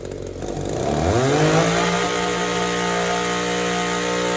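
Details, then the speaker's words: Echo two-stroke trimmer, mixture screw only a quarter turn out, climbs from idle to a high scream but hesitates on the way up; the lean carburetor bogs and needs disassembly. "It wants to bog a little bit between idle and wide open throttle. The carburetor is running lean."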